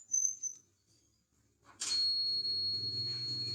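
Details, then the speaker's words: China mobile phone that won't power on even with another battery; multimeter in buzzer mode across the battery terminals holds an unbroken beep, meaning the board is full short. "Okay, it sound like this beep. This means, guys, this phone is full short, a component, or maybe see full short."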